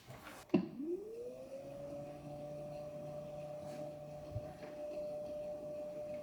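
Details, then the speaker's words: Edelkrone Slider 1 v2 motor after teardown, cleaning and repair: smooth tone sweeps up as it spins up then holds steady even pitch, no grinding; runs normally, earlier grinding gone. "I think the mission was successful in working it's still whining the motor wind but it does not produce that grinding sound which was kind of annoying"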